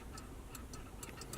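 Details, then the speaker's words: Ford 7.3L Powerstroke diesel truck fitted with motorcycle throttle conversion: small crisp clicks each time the accelerator pedal moves; TPS safety switch working normally. "So what the safety switch does, if you press this pedal, you hear that little clicking"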